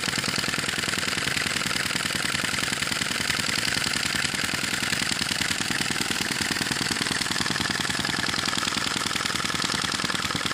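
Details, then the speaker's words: Sai Hu V1-45 flame-licker vacuum engine, hot and running with a smaller flame at its typical speed after refuelling: quick, even, light ticking with a thin hiss, about three to four beats a second; runs smoothly. "it's made well once you get it up to temperature and get it running it runs consistently it runs well"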